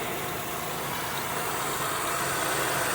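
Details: 2002 Buick LeSabre, first start after replacing upper intake plenum, lower intake and valve cover gaskets, EGR chimney, thermostat, PCV valve and coolant elbows; old leaked oil burning off exhaust manifold; smooth steady idle, no ticking, knocking or hissing: normal idle.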